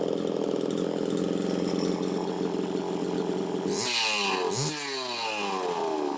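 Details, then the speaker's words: Chainsaw starts easily, holds a steady, even run, then revs up and drops back cleanly; it had run a little lean at first, likely fuel puddled in the crankcase from long idling; normal running. "anyway that sounds good it started easily"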